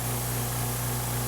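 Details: Air compressor plugged into a DeWALT DCB1800 1800 W battery portable power station, about 15 A output: steady, even low drone with no knocks, surges or dropouts; compressor motor and pump run smoothly, normal.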